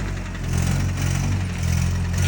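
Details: Nissan Hardbody truck before an engine swap: deep, lumpy note rising and sagging unevenly; engine runs rough.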